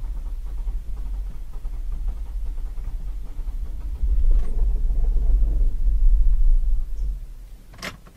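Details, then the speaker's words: Holden Captiva Chevy V6 towed in with crank-no-start; starts only with accelerator pumped and held, runs very badly at raised revs with lumpy, uneven low throb before dying; power balance test finds misfire on three cylinders. "if you kept it at a certain rev range you could get this vehicle to run although very badly you could get it to run and continuously run"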